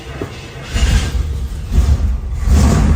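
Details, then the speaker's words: 1965 Chevrolet Impala convertible with carburetor, parked for ages, started after pumping the gas pedal: cranking catches, rumble builds in two surges into a steady idle; clean start. "see? Just like that, the car has just started."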